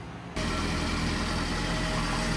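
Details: Subaru Sambar engine first start after preventative maintenance (timing belt, water pump, seals, clutch), burning off WD40: catches and settles into steady, even idle with faint rattle from a loose shield; runs smooth, normal idle.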